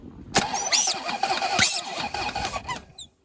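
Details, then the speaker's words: Corvette C4 ZR-1 under restoration, first crank test after refitting starter with plenum off; masking tape left over the intake: about three seconds of uneven, thin, squeaky, hollow cranking without catching. Cranking with blocked intake. "yes got crank we've got cranage sound that good do it again you know why it didn't sound very good it's because the masking tape's on this right I'll take that off"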